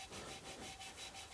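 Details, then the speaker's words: Hand-lapping valves on a 1975 Jaguar XJ6 4.2 head rebuild gives a rhythmic back-and-forth hissing rub. It was rough like sandpaper before and is now smoother and quieter, showing the lapping compound is spent and no longer cutting. "after a while it will get more and more quiet will get more quiet like this that's when you know that the compound has done its job it's not really cutting or lapping any more"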